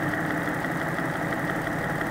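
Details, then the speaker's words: Porsche 986/987/996/997 flat-six, hot, stethoscope about half an inch on the block at cylinder 2 between exhaust, sooty bank-2 tailpipe: steady rhythmic tapping with engine speed, more than cylinder 1; bore scoring suspected. "so I've got a lot more of a rhythmic tone on cylinder number 2. A lot more tapping, a lot more rhythmic tone than I had on cylinder 1."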